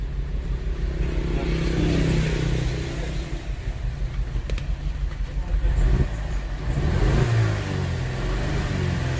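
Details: Audi A4 1.8: rough, stumbling, lumpy idle and revs from an ignition open-circuit misfire on cylinders 1 and 4; after swapping the coil, a dead spark plug was found and replacing it cured the misfire.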